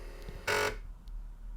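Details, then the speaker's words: Rebuilt Atari 810 floppy drive, restored from shattered pieces, first power-on with its 9 V AC supply reading 11 V unloaded. Quarter-second buzzing whir then quiet, nothing harsh or grinding; owner unsure but judges the spin-up healthy. "That sounded reasonably healthy, I think. I have no idea how it should sound, but that's good enough for me."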